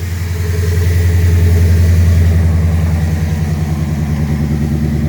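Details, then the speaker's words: 1997 Mustang GT V8 idling after a new Quantum 340 lph fuel pump, fuel pressure about 41 psi: steady, even, smoother idle with a clean exhaust burble and no misses; the pump can't be heard. "so it's only a hair over 40 about 41 so i mean that's not not bad at all our idols much smoother"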